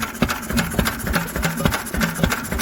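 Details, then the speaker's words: Old Lister engine with exposed valves and fuel pump, running after a magneto chain adjustment (chain slightly stretched), only recently run to temperature after 40 years stored: slow, even chug of about five beats a second with no knocks. Healthy normal running. "yeah listen i don't see sunday yep that sound an absolute treat and i love it all little exposed valves exposed fuel pump it's all good stuff"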